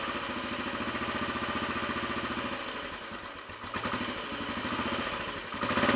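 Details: Royal Enfield Bullet 500 single after head gasket replacement, exhaust blow at head fixed, baffle removed and carb needle raised, just started on choke: slow, even thump with deeper exhaust boom than before, no mechanical clatter; normal idle.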